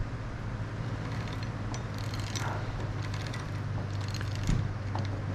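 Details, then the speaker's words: TrailMaster Mini XRX go kart, chain drive after clearing rust and oiling, chain possibly still a little loose: quiet steady low rumble with occasional light clinks from slack, running freely; chain drive running smoothly. "there it is that's what it was it was all this uh rusted nasty stuff back here and now you see it's slinging oil everywhere and it's freeing up nice that oil freeing it up nice"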